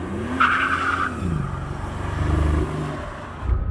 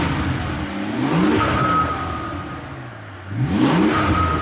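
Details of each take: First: Mercedes CL65 AMG twin-turbo V12 pulls hard in second gear, then sags and stumbles once into boost around half throttle; flashing check engine light, misfires on seven or eight of 12 cylinders, engine shaking. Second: Mercedes CL65 AMG twin-turbo V12 with a rebuilt engine and aftermarket mufflers: three clean throttle blips about 2.5 seconds apart, revs rising and falling smoothly with a quiet exhaust. Healthy revving.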